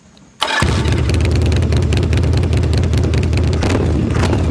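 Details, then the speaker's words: 1982 Yamaha Virago XV920 custom build with its problem Bendix starter replaced by a solenoid starter from a bigger Virago; a brief clean crank, then the twin catches into a lumpy idle with no marble-like rattle as before: normal starter cranking. "You know, since he did that modification to the starter, it's definitely a lot easier to start than it used to be, because back in the day, before he did that, it kind of sounded like a washing machine full of marbles, but now it actually sounds like a normal bike when you crank it up, which is good."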